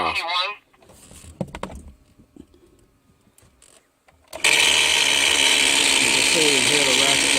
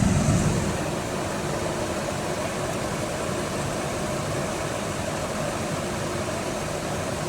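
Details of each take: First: 2005 Chevy 2500HD heater blower switched on: speed 1 does nothing, speeds 2 to 4 give a loud, harsh, hissing whir with a wavering whine; failing blower motor, replaced along with the resistor and blend door actuator. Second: 2005 Chevy 2500HD after blower motor, blower motor resistor and driver-side blend door actuator replacement (previously noisy, only speed 5 worked): smooth steady air rush over quiet idle, no rattle or scraping; all five speeds work, racket gone.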